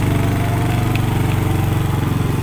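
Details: Manual-gear motorcycle climbing an incline in first, the lowest gear. Firm, regular low thumping pulses hold steady as the bike pulls hard, with no knocks or slipping. Normal running under load.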